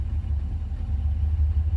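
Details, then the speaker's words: 1972 Rover 3500 P6, 3.5 litre aluminium V8 after 6–10 years sitting, on old fuel, warmed to 85 on gauge, choke fully off: deep smooth even idle, no knocks, ticks or misses, good oil pressure, thermostat opening; healthy. "That's a lovely, I hope this is being picked up on camera, just how nice it sounds. Absolutely beautiful sounding V8."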